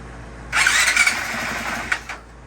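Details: 2020 Honda CRF450X, partly reassembled after repair with no oil or water, exhaust plug still in: engine catches after brief cranking, runs about 1.5 seconds with a muffled, hissy note, then is cut; starts normally.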